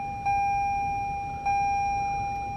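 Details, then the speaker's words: 2021 Toyota Rav4 Prime SE, cabin at power-up: two clear electronic chimes about a second apart. This is the low-fuel warning, which keeps nagging until it is dismissed. "So if I turn it on, I guarantee it. I'll tell you right now, it's gonna tell me I'm low on fuel."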